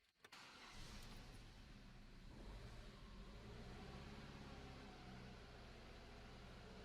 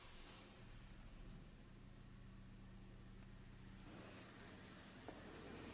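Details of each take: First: Opel/Vauxhall Astra H 1.8 after new spark plugs and a new ignition coil for misfire and jerking, error cleared: starts cleanly and runs smooth and even under light throttle; misfire gone. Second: Opel/Vauxhall Astra H 1.8, engine light on: quiet but lumpy idle with uneven stumbling beat, airbox visibly shaking; misfire codes cylinders 1 and 4 plus camshaft position; misfire.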